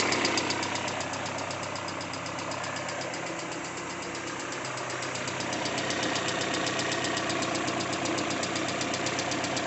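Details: Peugeot 406 coupé after a timing belt replacement: quick light ticking over the idle from hydraulic lifters, with the noise now fading away.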